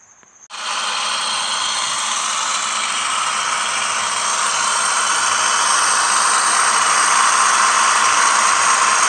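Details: 2007–2010 Toyota Sienna with 3.5 2GR-FE V6, running. A harsh, steady grinding whir comes from the belt side of the engine, traced to a worn lower idler pulley bearing, replaced via the front passenger-side wheel well.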